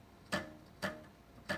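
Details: 3D printer Y-axis belt plucked after tightening the printed tensioner evenly with a screwdriver: three plucks, each a short, clear, fairly high note dying quickly; belt tight and properly tensioned.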